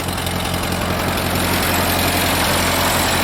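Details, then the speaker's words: Ford 8N tractor sat unused for years, first start after fitting a battery and carb cleaner: idle with serious steady valve clatter near four ticks a second; owner suspects dirt from sitting or a burnt valve, hopes it clears up. "i hope that clears up there's some serious valve clatter that could be dirt from setting"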